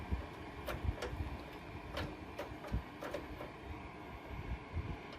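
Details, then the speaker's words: 1961 Zenith Space Command 300 console TV during resurrection, voltage raised to 90 volts: faint whirring broken by irregular ticks and clunks about once a second; remote power tuning motor not working right, cause not yet known. "oh that's right well clearly the remote power tuning motor thingy is not happy so let's plug the remote motor"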